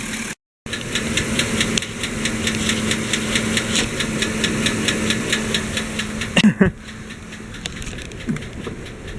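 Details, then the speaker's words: Chevy Silverado/GMC Sierra 5.3 V8 at idle, good oil pressure: fast, light, regular top-end ticking, too loud for the broken rear exhaust leak and not a bearing; owner suspects lifter, maybe camshaft; a new O-ring later solved it. "don't weren't kidding when I said it was ticking I really do not think that's the exhaust leak either that's too loud from exhaust leak"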